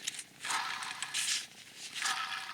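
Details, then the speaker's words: Failed alternator removed from a 2004-2008 Acura TSX/Honda Accord and spun by hand: gritty raspy hiss in uneven bursts from shot bearings. The alternator was still charging and was likely a previous replacement. "those bearings are shot and I don't see any markings on this thing at all"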